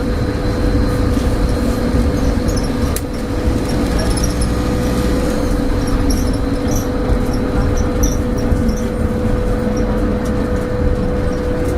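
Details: Stagecoach Cumbria Optare Solo bus 47020 (PO51 WLK) in service between Whitehaven and Workington, May 2015, while driving: a steady, loud mid-pitched hum rides over the engine and road rumble; its source is unknown.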